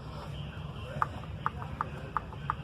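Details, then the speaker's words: Mercedes-Benz C200 M271 engine with start-up noise, new chains and guides; cam gear rocked by hand gives sharp light clicks about three a second, excess play in the original camshaft adjuster gear, compared against a newly bought gear with minimal play. "ya se dieron cuenta del juego que estoy haciendo vamos a intercambiar el juego y el ruido que se escucha aparte"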